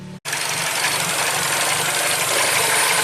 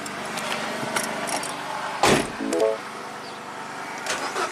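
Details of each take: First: 2012 Mini Cooper, N16 naturally aspirated engine, 113,000 miles, with an intermittent crank no-start and no codes. After a brief drop-out it catches and settles into an even, steady idle with light valvetrain ticking and no misfire. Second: Mini Cooper on a 13.5 V battery charger, cranking before codes were cleared after a sunroof-drain water leak flooded the interior: starter spins at a steady quick rhythm, about five compressions a second, but never catches. No spark, no relevant codes, intermittent crank no-start.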